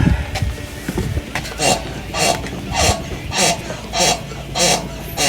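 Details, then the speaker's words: 2007 GMC Envoy: rhythmic dry squeak about every 0.6 seconds in step with the body rocking; owner hopes it is a worn upper ball joint, not confirmed. "You hear that squeak? I'm hoping that's going to be an upper ball joint."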